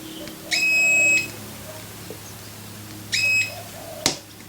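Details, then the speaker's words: Continuity test on 330 MiniHex wiring: two clear high beeps, about half a second each, on a negative point where no connection was expected, suggesting a possible short. "so if we hold that there we should not have heard that noise"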